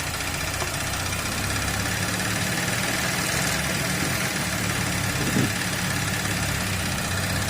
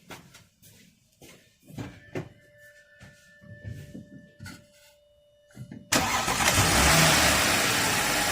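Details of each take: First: 2012 Audi A7 3.0L supercharged, first start after intake manifold reinstallation: steady, even idle hum with no knocks, misses or hunting; however, vacuum is afterwards found at the dipstick, pointing to a suspected PCV fault. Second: 2012 Audi A7 3.0L supercharged, restarted after intake reinstallation: cranks, catches near six seconds and settles into a steady, even idle with no stumble, but it still shows vacuum where it shouldn't, which may mean removing the intake again.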